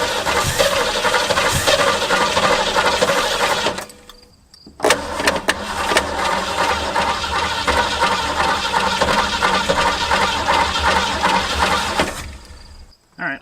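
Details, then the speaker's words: 1967 Mustang barn find after earlier running: catches, stumbles and cuts out, then restarts and runs unevenly with a loose rattle; suspected flooding, not confirmed, rough running put down to a faulty carburettor power valve. "it's just weird that we made it past that point got it to run and now it's being weird she wasn't terribly flooded"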